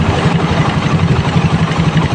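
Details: Stock-engine Suzuki Raider 150 single-cylinder with 28mm Koso carb and aftermarket elbow, revving to about 8,000 rpm after carb tuning: even pulsing and clean revving with no misfire or stumble; carburetion sounds properly sorted.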